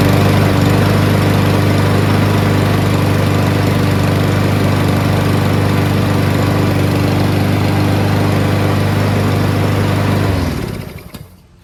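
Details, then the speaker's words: Free Cub Cadet mower, probably an MTD build with a Powermore engine, after carburetor cleaning (it had run only on full choke): smooth steady drone, then shut off and winds down. Smoke from muffler oil left by long storage dissipating. Normal running. "Starts right up. Runs great. Smoke started to dissipate from all the oil in the muffler that's been sitting so long."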